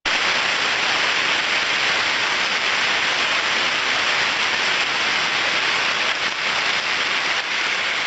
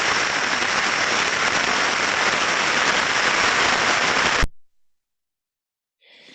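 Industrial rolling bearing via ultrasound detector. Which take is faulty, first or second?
second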